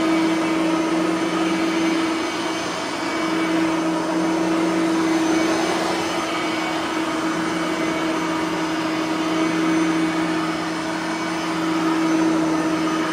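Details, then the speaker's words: Bissell 3510-9 (9 amp) upright vacuum after greasing both brush roller bearings; steady even motor whine with smooth airflow, no scraping or rubbing from the brush roll anymore; normal running. "there's no scraping anymore because I have fixed the brush roller bearings so we won't have to hear the uh scraping anymore"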